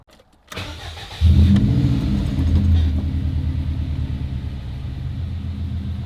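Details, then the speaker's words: 20-year-old JDM EJ205 Subaru WRX wagon, warm, had been idling lean: after replacing a vacuum cap likely blown off the intake manifold under 12 psi boost, it cranks, catches and settles into a steady, smooth idle; air-fuel ratio corrected. "on come on afrs that looks so much better oh it's creeping oh okay cool that's where it was okay awesome it was just a vacuum leg perfect"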